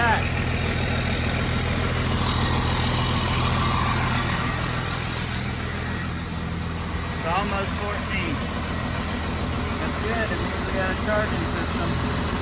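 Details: 1993 Cummins D350 chassis, 12-valve diesel with automatic, in a 1940 Chevy truck, started in park to check alternator charging: steady even diesel clatter with firm low rumble, no misses or knocks; normal idle.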